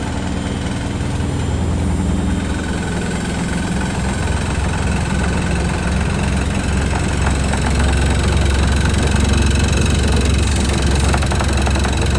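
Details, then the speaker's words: Washing machine on spin in a wooden-floored shed: heavy, deep rumbling drone with a loose rattle as the unlevel machine shakes the floor, door and a light; it needs leveling. "Yeah, definitely need to level that. So it's just a bit unlevel, and then obviously with the wooden floors, they all shake, the whole shed shakes."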